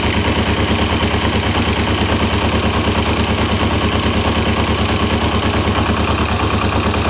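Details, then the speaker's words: 1994 Kawasaki ZZR250/Ninja 250R, sat for years. A quick, evenly spaced mechanical knock at idle vanishes when the clutch lever is pulled; the owner suspects the clutch basket, but this is unconfirmed. "certainly you pull the clutch and the noise disappears um yeah you feel the clutch in that noise disappears it seems to be coming from the clutch end clutch basket"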